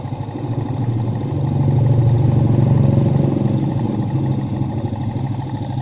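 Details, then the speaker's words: Vega ZR single-cylinder had a rough noise and heavy smoke three months after boring, with its piston at oversize 100. After refitting with a Vario 125 piston and checking oil flow to the top end, it idles as a steady, even, smooth putter with no knock: healthy. "dan piston beach suaranya Udah halus mudah-mudahan ini tangan sampai bertahun-tahun kemudian ya"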